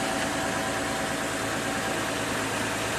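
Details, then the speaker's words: 2009 Dodge Charger idling after oil pump replacement and timing fix: steady even idle, smooth unbroken hum, no knocking or ticking; gauge at sending unit port shows 40 rising to 50 psi where it read 0 before, normal. "yeah, it's looking good. 40 pounds of pressure, moving up to 50. So that's good, so it's getting oil now, where before it wasn't."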